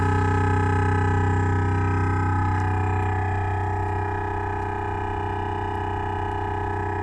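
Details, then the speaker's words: 2015 Renault Grand Scenic with Bose sound system and R-Link: loud, steady drilling-like buzz pulsing about three times a second from speakers, continuing with engine and audio off, later stopping itself; nav unit software fault. "So, diagnosis required to find out why the Bose speakers are making violent noises like a compressor drill, even when the sound system is turned off."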